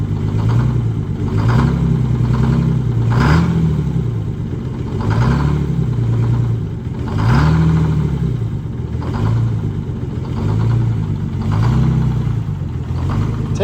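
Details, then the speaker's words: International cabover with a Detroit Diesel 6-71, cold start at 33°F with suspected gelled summer fuel and winter fuel treatment added, rising to about 1,000 rpm. Rough surge-and-lull idle, briefly not firing on all cylinders: misfire on cold start. "up to about 1,000 RPMs that's good that's fine wasn't wasn't firing on all cylinders there for a few seconds"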